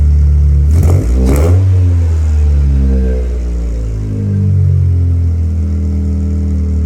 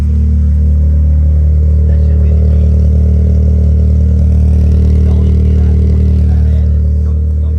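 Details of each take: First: 1996 Eclipse running just after fuel pump priming, with no water in the cooling system: deep, uneven running with revs swelling and sagging rather than settling; rough running, cause unknown. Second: 1996 Mitsubishi Eclipse after a new fuel pump, no coolant in yet: strong, steady low engine note with even rhythm and a slight rev swell; engine starting and running.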